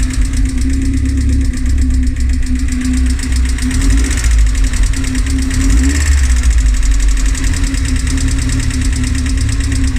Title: Rover K ticking noise